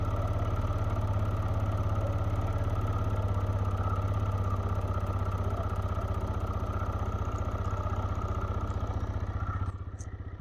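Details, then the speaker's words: TVS Raider BS6 motorcycle with a mileage complaint, mic near the engine, cold start: steady, fast single-cylinder idle with an even beat. Normal high initial rpm from the auto choke, which opens by itself. "शुरू में RPM उच्च क्योंकि इसमें auto चक system यह दिया गया है।"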